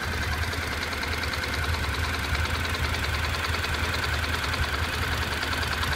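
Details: Honda NC700X at steady idle once fully warm: loose, chattering knock roughly three a second from the right side of the engine, only when hot; cause not pinned down.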